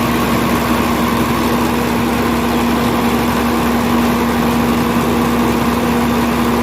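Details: Volvo truck diesel after a cranking no-start and hard-starting fuel system fix: steady, even idle with a constant low drone and no misses or stumbles; now starting well and idling normally.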